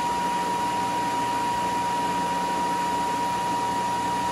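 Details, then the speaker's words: Kellenberger 600U universal cylindrical grinder, configured for 480 volts, wheel head spindle running with oil showing up in the window right away; steady even hum with a clean constant tone, no knocking or grinding, smooth. "We get oil up right away with the wheel, and we're gonna start now. Looks good, sounds good."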